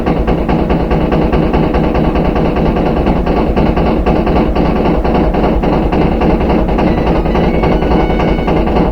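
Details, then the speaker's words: Empty front-load washer during spin: loud, uneven thumping and clattering from the back, growing louder, heavy rumble underneath; excess vibration when empty indicates a bad rear tub bearing. Worn rear tub bearing. "You can hear the bangings coming from the back. It's louder and louder. Kind of banging around like that. If it's empty, you shouldn't be getting that much vibration. But that's how you know you have a bad rear bearing."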